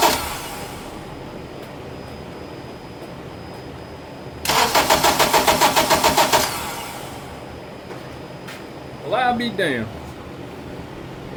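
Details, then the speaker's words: 2007 Acura TSX, towed in with a dead battery and no check-engine light, cranks steadily about three to four beats a second but never catches: crank, no start. "It's cranking, but it's a crank, no start. Let me try it again."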